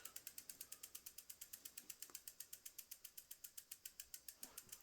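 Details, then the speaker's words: Cannondale bicycle in its lowest gear (biggest rear cog, smallest chainring) after shortening the chain and adjusting the derailleur. Fast, even ticking at about eight clicks a second with the chain rubbing. The adjustment is suspected to be maxed out. "And we have a little bit of rub on that. Which that noise drives me nuts. I don't like hearing that noise."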